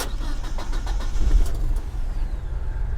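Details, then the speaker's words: Old Dodge Ram 50 mini truck at an IAA salvage auction: a few quick cranking bursts, then it fires into a smooth, even idle with no knocks or ticks; starts normally, no warning lights except the e-brake light. "Not an issue, man. No warning lights other than the brake light because we have the e-brake on."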